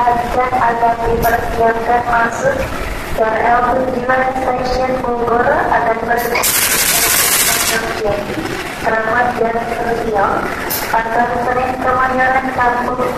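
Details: Indonesian diesel locomotive CC204-05 hauling train KA 161 Bogowonto: diesel rumble with rhythmic pulsing mid-pitched whir and uneven chuffing beats; strange abnormal engine noise, cause unknown.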